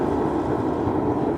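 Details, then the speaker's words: SunFire radiant heater on diesel or kerosene, switched on outdoors after priming: steady, even burner roar with no sputter, pulsing or surging; flame lit and burning normally. "Now I think we can just turn this on. See what happens. Ooh, there we go. Sweet."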